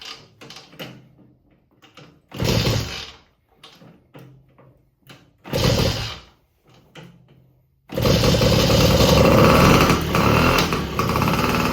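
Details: 1950 Indian Papoose two-stroke after an engine rebuild for clutch replacement, with the piston re-fitted after possibly being installed backwards: a few short kick bursts, then at eight seconds it catches and holds a loud, busy run without faltering; runs normally.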